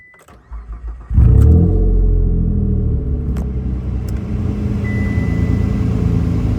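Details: 2008 Mitsubishi Outlander XLS petrol engine, cold start and rev: brief crank, catches, then a rough, puffing cold idle; suspected exhaust leak, unconfirmed.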